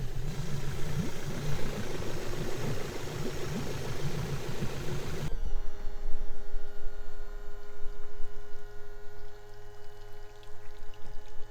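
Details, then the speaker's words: Suzuki DF70A four-stroke outboard idling unevenly with a lumpy, stumbling beat and heavy shaking, worse when revved; consistent misfire suspected from failed spark plugs. "So it is running, but it is shaking a lot at idle. If I was to rev it up, it would shake a lot more."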